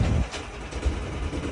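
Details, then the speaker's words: Catalina 30 sailboat fitted with a Harbor Freight Predator engine, running under load as the boat moves: deep, steady drone that settles as the boat pulls, with no knocks or misses. Water pump running; normal running under load. "Look at that. We are moving. You hear the difference in the sound? It works."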